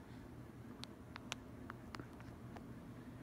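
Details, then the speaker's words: Encon Petite 30-inch ceiling fan temporarily hooked up in a basement: steady low motor hum with a few light ticks; same noise as before but much quieter, running normally. "it's definitely moving good good amount of air still makes that noise it did back on it tested it but not as noisy as it was before it's definitely a lot quieter"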